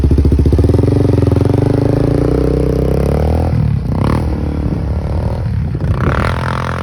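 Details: 1999 Yamaha Warrior ATV, single cylinder, just fitted with an HMF Performance muffler and spark arrestor. Steady, even thump at idle, then clean throttle blips with a deeper muffler note: normal running.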